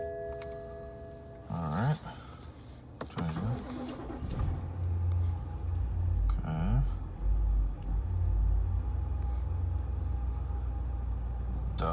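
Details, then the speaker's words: BMW 550i N63 V8 in about -14 to -15°F Chicago cold, restarted after stalling when pulling away following a couple of minutes of running: two short cranks, then it catches into a lumpy, uneven idle; hard cold restart after stall. "not a fan of the coldest V8."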